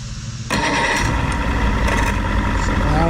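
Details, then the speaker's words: 1993 Johnson 60hp outboard after remote ignition switch repair, neutral safety switch clamped: quiet, then catches after a brief hesitation and settles into a busy, even two-stroke idle; starts fine. "don't know why I took it hesitated for a second. Fires right in. Good."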